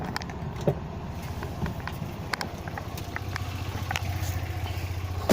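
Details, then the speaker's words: Used Tata Nano, engine running, heard outside at the exhaust: soft steady low idle putter, no rpm fluctuation or missing; smooth, healthy silencer sound. "देखिए आप, कितनी smooth sound आपको सुनाई दे रही होगी इस वक्त। किसी भी तरह का कोई आरपीएम फ्लक्चुएट नहीं हो रहा है, किसी भी तरह की कोई मिसिंग की साउंड नहीं आ रही है।"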